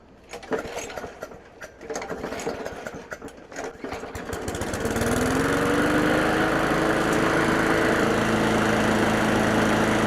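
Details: Craftsman 917.388834 push mower, Briggs & Stratton Classic flathead, after carburetor work and priming, possibly wrong OHV-type spark plug: catches after a few weak pulls and runs good, settling into a smooth, steady, even beat.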